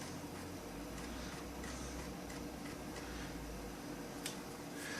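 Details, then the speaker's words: New Old Stock Amiga 1200, unused 17 years in a warehouse, floppy drive accessed with Caps Lock light blinking: soft irregular ticking and light head-seek clicks over quiet room hum; drive reading normally. "and if we click on to it we're getting dis access about the cap so cap slot is going on and off"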